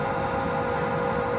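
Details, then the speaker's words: Swegon Casa W80 heat recovery ventilation unit, heat exchanger removed, fan motor running; steady low hum with faint pulsing waver from dirt caked on the fan impeller blades: fan impeller imbalance from dirt buildup. "так агрегат косово 80 проверяем какой из готово будет зажимает к цик предварительно извлекли утилизатор утилизатор тепла вот такой вот гул"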